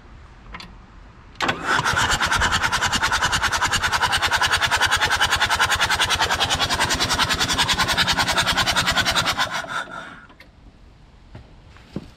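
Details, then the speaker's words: 1980s Komatsu D31S track loader, Cummins 4D105-3 diesel, sat 5+ years. Brake cleaner sprayed in; cranking to blow debris out of the cylinders. Even chug-chug at about three compressions a second, no firing. Fuel is pumping. "So now I'm just gonna crank it over and try and blow more of the stuff out of the cylinders."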